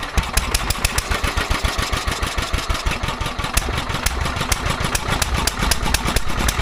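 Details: Petter A11 (A1 series 2) single-cylinder vintage stationary engine, owned 12-13 years, sat damp in a container for four years; thumping at five to six beats a second, uneven strength and spacing, hunting; rough running, owner suspects fuel starvation from dirt in the carburettor.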